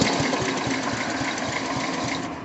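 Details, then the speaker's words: Sears Suburban 12 hp Craftsman tractor with a new battery and the choke frozen solid: starter spins the engine with steady rapid chugging at about seven beats a second, but it never fires; the fuel shutoff valve is then checked. "And so it's spinning over. The choke is frozen solid. It won't choke. But I did, I bent the cable doing it, but I did try choking it, and it doesn't want to start."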